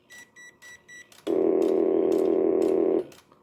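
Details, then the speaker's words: 1965 Northern Electric TeleTrainer for Bell Canada, ringer circuit on a separate pair measuring 166 volts unloaded from internal transistor ring generator: a few short beeps then steady rapid metallic ringing under two seconds, stopping cleanly; ringing normally. "And uh there we go. It's 166 volts. That's no joke. Look at that when it rings."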